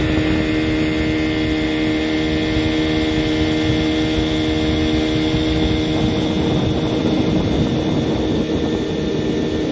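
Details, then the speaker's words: 15 hp Johnson outboard after a new lower-unit water pump and greased spline shaft: steady, even buzzing idle with no misses or knocks; it idles right down and goes into reverse, running healthy. "yeah it'll idle right down go into reverse okay"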